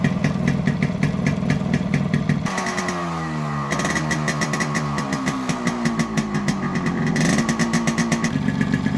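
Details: Modified Yamaha RX100 two-stroke with imported carburetor and Indonesian RX King CDI unit: crisp even idle popping that climbs cleanly in pitch through several throttle blips and settles back; healthy running.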